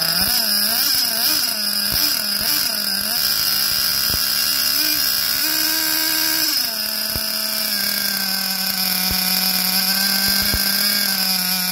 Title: SH .21 Nitro engine running rich